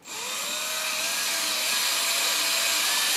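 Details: 1988 Jeep XJ 4.0 during knock repair: a cordless drill on low range primes the oil pump. Steady high whine dips and labours as oil fills the rocker shafts and galleries. Normal priming load.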